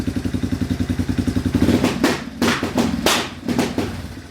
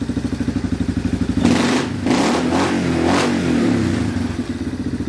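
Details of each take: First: Yamaha Wolverine ATV: even idle pulses, then short rev bursts cutting off sharply; faulty rear brake switch engages rev limiter, runs when switch pushed in; owner plans to bypass by splicing wires or keeping it depressed. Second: Yamaha Wolverine four-wheeler, after the brake switch was pushed in to allow starting: lumpy single-cylinder idle, then clean rev bursts rising and falling freely without cutting out, back to steady idle; normal revving.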